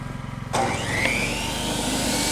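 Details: GenMax inverter generator in cold weather inside a shipping container, first real load test powering a table saw cutting shelving wood: a steady drone, then the saw spins up and cuts while the engine holds speed with no bogging or surging, running normally under load.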